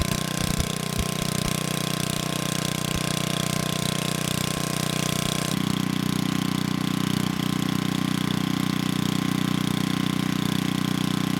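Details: 1987 VoltMaster 4,000 W generator, 8 hp Briggs & Stratton flathead, after compression repair, under 3,000 W load: 120 V near 60 Hz (107 V unloaded). Steady even drone at constant pitch, no knocks, misses or surging; running well.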